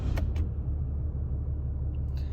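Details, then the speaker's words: 2020 Ram 2500 Cummins diesel restarted after the oil and fuel filter change and the life resets. A couple of light clicks, then a deep, steady low rumble with no knocks or misses; a healthy idle. "I'll start it back up again here."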